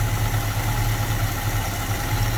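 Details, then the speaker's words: 1966 Mustang 289 V8 with a 2-barrel carburetor, after fuel pump replacement and unstarted 3–4 months: steady, deep, even burble at idle with no misses, knocks or ticks; normal idle. "Damn right, just purring. Woo! Now that sounds good right there. I don't care who you are. That is what a good sounding motor should sound like."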